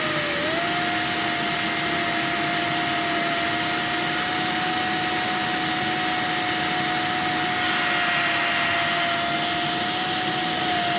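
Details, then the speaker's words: Refurbished Electrolux 1505 Silverado vacuum during airflow test at hose inlet: steady fairly high whistle over even air rush; owner suspects the hole to the automatic control valve or the inlet shape, unsure. "oh and you'll hear a little bit of a whistling noise i think it's from the little hole inside here that would usually lead into the uh the automatic control valve or maybe it's just from the shape of the inlet i don't know"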